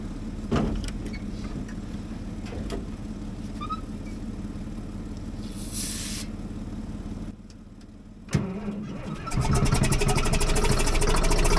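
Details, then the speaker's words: Caterpillar D7H Series 2 dozer after battery charging, on a −2° day, with fuel now reaching the cylinders and starting fluid applied: slow, uneven cranking at about 3.5 turns a second, then it catches and roars louder. Cold start attempt. "It's trying to start now. So, hopefully we can get this started with a little bit of starting fluid and see how it goes."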